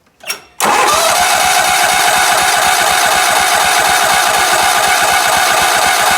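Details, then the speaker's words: Sears ST/16 garden tractor, long unused, fresh fuel added and air pressure put in the tank; starter cranks in an even chug about three times a second but it never catches; owner believes the fuel pump is bad, explaining a cut fuel line. "so i think we've got a bad fuel pump that's probably why they got that line cut"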